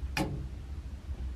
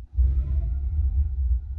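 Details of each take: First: A.O. Smith natural-gas water heater after sanding the thermocouple: thermostat moved, one sharp gas valve click but no burner whoosh, no flame; fix failed, owner suspects control unit solenoid, cause unconfirmed. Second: Newly installed gas water heater, first light after pilot lit: soft low whoomp as main burner ignites, then steady deep flame rumble; normal burner ignition.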